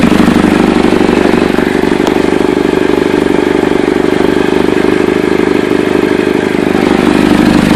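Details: Chevy Cobalt at idle, with a fast, sharp, raspy puffing tick about three per second; owner suspects an exhaust leak at the flex pipe and/or manifold or gasket, not confirmed.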